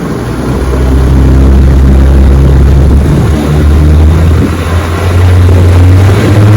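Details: Fully restored 1958 Johnson 18 HP FD-12 two-stroke outboard on a 14 ft Feathercraft, lake test at full throttle: strong steady drone rising and dipping slightly with the boat, no misfire or rattle; normal full-throttle running.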